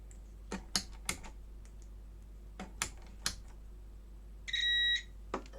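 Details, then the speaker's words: Logic3 TX101 soundbar with no power, unplugged, multimeter continuity test: probe clicks then steady half-second high beep; fuse intact, diodes okay. "fuse is okay where are you diodes yeah diodes are okay"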